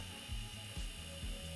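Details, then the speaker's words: Failed hard drive powered from a PS2: short ratcheting clunks about twice a second over a steady hum as the head repeatedly steps toward the center, grinds, then gives up. "there it is can hear the grinding noise and then it gives up and it stops in there"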